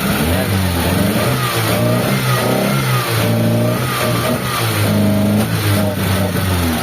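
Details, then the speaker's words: Mitsubishi Lancer "itlog" stored for a long time, with the in-tank fuel pump replaced: revved with throttle blips, the revs climb and fall unevenly with a ragged, stumbling misfire. Owner suspects stale gasoline. "Ayun, palagay ko ano na to, yung gasolina niya, medyo panis na yung gasolina, kaya ganyan yung andar niya."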